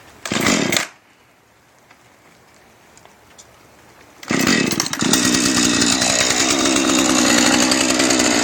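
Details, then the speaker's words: Husqvarna 435 chainsaw, bought new refurbished online: catches after a pull, settles briefly, then revs up clean and even without stumbling; engine starts and runs normally, though the chain cuts poorly. "it's a husqvarna 435. there it is fired up"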